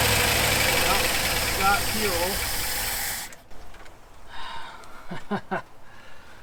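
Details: 1974 Ford F100 4x4 V8, long parked, running on starting fluid with choke open and unhooked: even idle for a few seconds with steady low rumble, no misses, then shut off; running cleanly.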